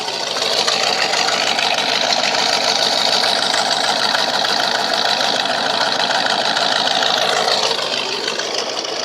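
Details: Truck with 300,000 miles and 12-inch glass pack mufflers, warming at idle: loud, raspy, fairly even burble, cuts out a bit; engine shakes slightly, owner suspects worn engine mounts.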